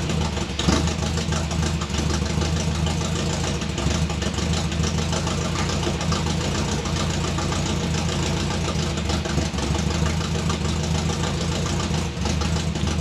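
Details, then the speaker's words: 1957 Chevy convertible hotrod with a 400 V8: lumpy idle with irregular stumbles and a loping miss, picking up under rpm. Misfire at idle; owner suspects bad spark plug wires after getting shocked by them. "Okay, so it's a runner. It's got a mist there, and it seems to pick up under RPM and stuff, so it's got a couple of bad spark plug wires."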